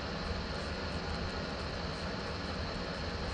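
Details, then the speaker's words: PS4 Pro fan running at full speed with a steady, loud rushing roar like a jet taking off, from heat buildup. Overloud cooling fan from overheating. "ini bule dengar sendiri bunyi dia ya memang bising ya"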